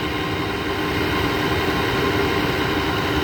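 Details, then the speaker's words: 2009 GE window air conditioner, first start in a year, R410A, possibly LG rotary compressor, stiff fan motor treated with WD-40: loud steady rough drone with gritty rumble over the hum; worn fan motor rear bearing. "sounds like it's the back bearing that's the one that was kind of hard to get to with the wd-40"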